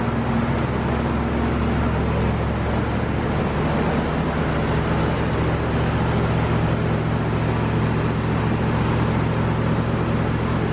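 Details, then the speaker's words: About 30-year-old C1500 V8 pickup, just after fuel tank replacement and hotwiring the fuel pump, fired right up: deep, steady V8 rumble with an even beat, no misses, knocks or rattles; running smoothly and healthy. "Yeah, I can hear it. I'm not seeing anything leak. Fired right up. It sounds so smooth."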